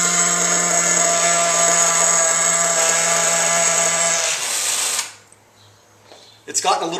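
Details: Losi 810 nitro RC buggy engine; high steady buzzing rev that sags and stumbles, not cutting cleanly, when the exhaust stinger is blocked; owner suspects air leak in the fuel system: air leak from fuel tank cap seal.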